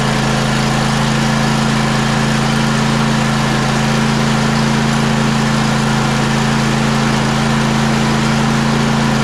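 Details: John Deere E140 riding mower running after water-contaminated fuel was treated with Phaser 3000 and the starter replaced. Steady, even small-engine hum with no misses or knocks; healthy.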